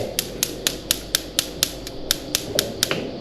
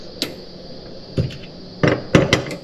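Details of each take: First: ASKO gas cooktop igniter clicking continuously, sharp evenly spaced spark clicks about four a second that never stop; typical fault when a switch harness is inside. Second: Gas cooktop with constant igniter clicking, after the burner was realigned: a handful of sharp, uneven clicks over a faint hiss as the burner lights, then quiet. This is normal igniter clicking, with the gas now coming through properly.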